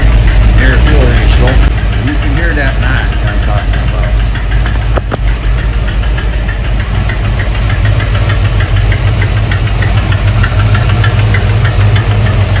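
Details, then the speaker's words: 1971 Mercury Comet GT V8 on a cold start at about 60°F with the choke set: a sharp, rapid clacking tick at about three a second over a loud cold idle, seeming to come from the front and worse when cold. Owner suspects the fuel pump arm on its eccentric. "I have a couple ideas on that knocking, ticking, clacking sound."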